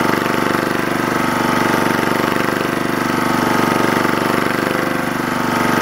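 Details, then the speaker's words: Lister Petter AC1 4 kVA diesel generator, 1980s British, 3000 rpm, after earlier no-start from suspected air in fuel resolved by extra fuel; strong even thump, no knocks or misses; normal running. "thank you guys for coming along watching a bit of teff's travails and i will play you out to the soundtrack of classic british engineering"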